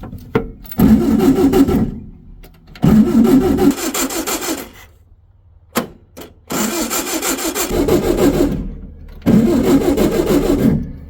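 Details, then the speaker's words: 1964 VW Beetle (modified Baja Bug), formerly seized engine, first crank after over a year sitting: four long, dragging, slow, uneven cranking bursts that never fire; power present but very low, weak run-down battery, charger to be fitted. "yeah there's power but that sounds really low says we got fuel though that is if the gauge works"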